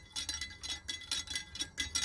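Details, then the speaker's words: Salvaged anemometer shaft spun by hand without its bearings, reading up to 3–5 m/s: bright metallic clinking in quick bursts, loose rattle likely causing damage. "you can hear that was probably here that was quite noisy because it's missing his bearings and as i'm rotating it like that i'm probably doing some damage"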